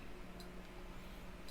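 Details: Project motorcycle with newly built wiring loom on bench power supply, ignition on, indicators switched left then right: two soft crisp clicks about a second apart in a quiet room; flasher relay cycling normally.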